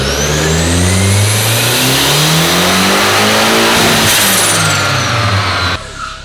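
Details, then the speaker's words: Rear-wheel-drive Honda Civic with a new full 3-inch exhaust and muffler on a dyno, run in fourth gear instead of fifth: smooth, strong full-throttle pull with no misfire, then a clean lift-off; about 400 hp and 434 lb-ft, with power falling off hard at the top. "that sounded way better said it made the power number to expect to see"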